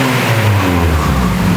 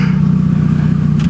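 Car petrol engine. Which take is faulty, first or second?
second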